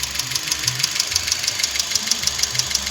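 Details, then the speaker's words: Car engine held near 1500 rpm. Sharp, light ticking about three times a second from a noisy hydraulic tappet, which needs replacing. "तो ये आवाज़ है कैसे hydraulic कैसे बोलते हैं इसको। तो चलिए रिप्लेस करना पड़ेगा।"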